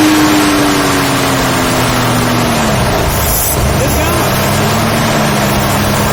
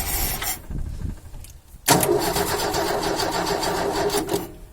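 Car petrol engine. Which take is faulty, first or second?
second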